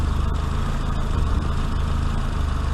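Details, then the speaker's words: Austin Maxi, first start after about three months laid up, choke fully in, coming up to temperature, recorded in light rain: steady, even low idle with no knocks or misses, the small four-cylinder running sweetly. "how about that how sweet that little engine is"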